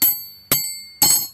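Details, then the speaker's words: Warped steel part being struck before an attempt to enlarge its hole with carbide bits: three sharp strikes half a second apart, each a clear high ring fading slowly, showing good, hard tool steel. "It was so warped. But listen. See, that's good tool steel."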